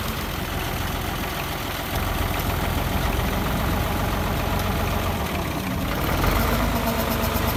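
Loose, uneven knocking at roughly three and a half beats a second over a deep idle; a clear internal engine knock, cause not pinned down.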